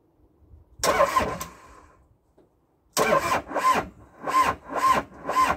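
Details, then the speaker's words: Abandoned CAT excavator diesel engine, not run in years, first crank after reassembly with improvised induction: slow, uneven cranking bursts about two per second with pauses; turns over but does not catch. "everything here should be ready to go so um i was going to take a chance and crank it over see what happens wish me"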